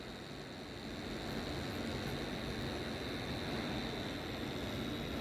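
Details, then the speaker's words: AUX split AC indoor unit after servicing: constant airy roar with a thin, high, steady whine from the blower motor; abnormal noise, believed to come from a worn motor bearing that needs replacing. "ctually it is not the normal noise, it is abnormal noise. You can hear the noise. This one coming from the motor."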